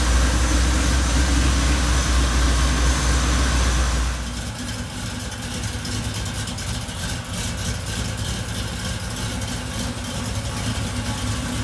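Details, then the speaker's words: Supercharged Cutlass V8 after cam swap from flat-tappet hydraulic cam, rebuilt with new seals and gaskets: deep, steady idle with even lope of about four pulses a second, no odd noises; normal idle. "i'm gonna crank it up let y'all hear it run"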